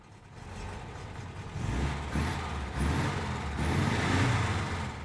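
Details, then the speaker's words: 1961 Volkswagen 23-window Microbus Deluxe, 6-volt system, air-cooled flat-four cold start: it turns over on the first try and settles into a steady, even low burble with no knocks or misses; normal idle. "turns over on the first try sounds good you can hear that nice idle"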